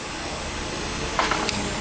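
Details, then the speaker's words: Kawasaki Ninja 300 starter relay clicking three times without cranking; multimeter at starter motor input shows 12 volts not arriving, relay contact intermittently failing, replaced with new relay. "agora ó o barulho do relé batendo, viu? O relé bate e não vem 12 volts pro motor de arranque."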